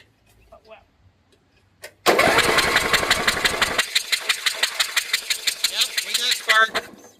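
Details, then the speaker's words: 12 HP Briggs & Stratton flathead, reinstalled after sump and PCV gasket replacement: steady cranking about three turns a second with no firing. Spark is present and the plug is not oily; suspected to be something knocked loose in the carburetor. "All right. That means we probably knocked something loose in the carburetor."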